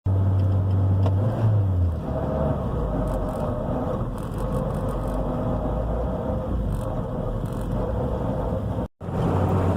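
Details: 2004 Toyota Matrix XRS 6-speed manual: thin steady whine over the low engine hum when accelerating in gear.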